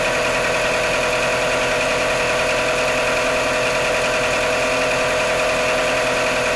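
Cold idle carries a fast, uneven tapping of about three per second over a busy engine hum; a knock is present, but its source is undetermined.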